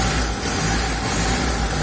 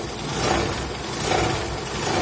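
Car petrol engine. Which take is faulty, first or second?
second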